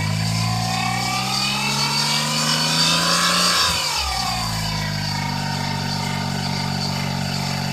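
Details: Daihatsu Terios Kid with a sudden new noise apparently coming from the alternator, to be replaced with a rebuilt unit: steady whine over the engine rising and falling in pitch with revs; alternator bearing noise.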